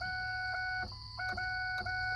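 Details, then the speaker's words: 1999 Ford F250 Super Duty 7.3L diesel 4x4 5-speed, no start after 21 days parked despite new battery and terminal: on key turn for preglow the steady dash chime cuts out and returns; electrical dropout at key-on, cause unknown. "it goes wonky and the key back on nothing no response"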